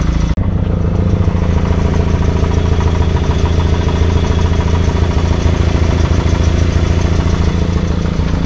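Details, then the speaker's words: 1952 Willys Overland 4x4 truck, old four-cylinder idling before going up on ramps: loose metallic rattle on each beat, about three a second, from the exhaust pipe rattling due to a broken exhaust bracket. "I've already figured out what that rattle is I'll show you that in a couple minutes"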